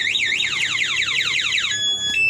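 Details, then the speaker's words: Motorcycle alarm installed without relay, remote-triggered: loud siren sweeps rapidly up and down, then steady tones; keeps sounding because the ignition is still on. "ini kontaknya masih hidup jadi bunyi remote tetap berbunyi Ya jelas ya teman-teman"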